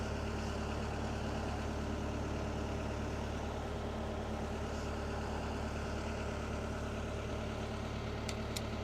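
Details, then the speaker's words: Marine diesel, not run in a while, idling on fresh-water flush before shutdown, oil pressure a little over 50 psi; steady even idle with a smooth low beat about three per second and no knocks or misses, normal idle. "Yeah, it's running a little over 50 pounds per square inch on the oil pressure, so that's good. Everything looks good."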